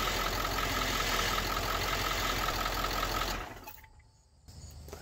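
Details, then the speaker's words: 1996 Ford F350 7.3 Powerstroke idling after the high-pressure power steering line was replaced and fresh fluid added: a faint pulsing high whine, about three pulses a second. The power steering pump likely still needs more fluid. "if you heard that i think it needs a little more fluid"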